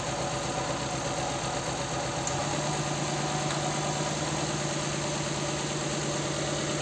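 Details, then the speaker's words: Nissan Sentra 1.8 idling with a cylinder misfire, shaking and down on power. The idle has an uneven lope with a stumble about three times a second. One cylinder is dead because its injector gets no activation pulses; the injector wiring is suspected. "Y así es como supe que no tenía yo las la señal o los pulsos de activación de ese inyector"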